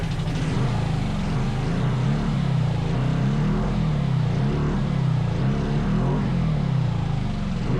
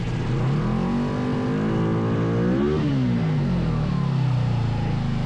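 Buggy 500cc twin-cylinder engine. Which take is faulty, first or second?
first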